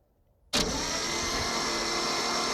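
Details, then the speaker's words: 1951 International Harvester L110 truck, Silver Diamond inline-6, 6-volt system partly converted to 12 volts, unrun for years, cranking with spark plugs removed: starter spins the engine fast and evenly with no compression pulses; cranking without compression. "So it has no spark plug, so I just have it spinning over without compression."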